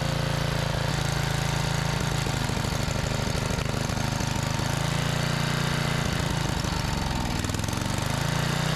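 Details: Trash-salvaged 5000 watt Generac generator with a new carburetor: small engine drones steadily with a rough chuggy beat, speed shifting slightly as the carburetor is fine-tuned toward 60 hertz output; engine speed adjustment.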